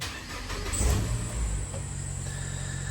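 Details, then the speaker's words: Nissan Note automatic (Cat S): thin high squeal over the idle right after starting, fading as it settles; owner assumes some kind of bearing, unconfirmed. "That squeak goes away, so I assume it's a sort of bearing or something."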